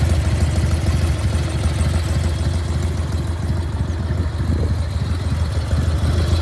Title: 1995 Harley FXSTSB - Evo Engine makes strange noise